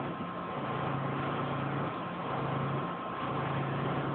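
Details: Rheem 5-ton condenser before the fan motor is changed: a low hum pulsing about once a second, like a helicopter chopping from the fan assembly. The panel visibly vibrates.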